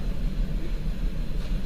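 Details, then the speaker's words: 2004 Mazda 6 with P0304 cylinder 4 misfire and P2227 codes, injector kill test on another cylinder: the idle turns lumpy and uneven as the injector is cut, though fuel trims appear frozen, so test validity is doubted. "Oh, you can hear the change in the engine. Looks like it froze our fuel trims, though."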